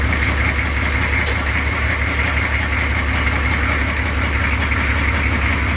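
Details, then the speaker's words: Lowered 6.2 diesel Suburban at loud idle with a terrible exhaust leak: a steady, regular puffing tick over a deep rumble. The fix is replacing rusty pipe with pipe from the junk pile. "right now she's in for a terrible exhaust leak so we're gonna try to fix that"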